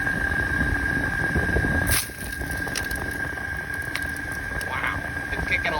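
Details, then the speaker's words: RV rooftop air conditioner blowing cold briefly then losing airflow, coil freezing: steady strained fan roar with high whistle and crackly ice spitting out of vents, motor labouring; iced-up evaporator traced to a shifted foam baffle, found in both units. "On top of this, our RV AC was like freezing up and spitting ice at us. Literally, it’s been snowing in our RV."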